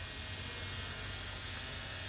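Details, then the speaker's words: Rotax-type injection fuel pump run dry without load, drawing about 1 ampere (loaded would be 1.5–2 A); thin steady high whine, constant pitch, no stutter, spinning freely. "Tapi ini nyala tanpa beban ya, nyala tanpa beban, tanpa mengangkat cairan gitu ya."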